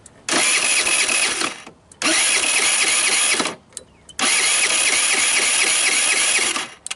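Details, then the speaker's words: Tao Tao Thunder 50cc scooter with wire, spark plug and CDI already changed: starts first try, but after dying, three one-to-two-second cranking bursts never catch; hard restart after stalling. "So now it just started up pretty easy, like first try. But then if you let it die out, I don't think it's gonna start easy now."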